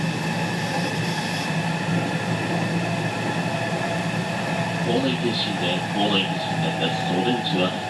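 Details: Onboard KuMoHa 207-1037, JR 207 series 1000 T17 set with Toshiba GTO inverters, Tokuan–Konoike-shinden, Jan 2017: several motor tones clash into an odd chord as the Nishi-Akashi/Shin-Sanda side inverter modulation is out of sync with the normal Kyoto/Kizu side.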